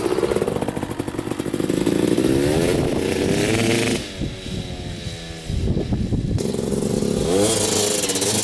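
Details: 2000 Suzuki RM250 249cc two-stroke, unrun for two years, after pipe fix, carb clean, new oil and fresh gas: crackly engine revs cleanly on each blip without bogging, riding in first gear; running great, normal running.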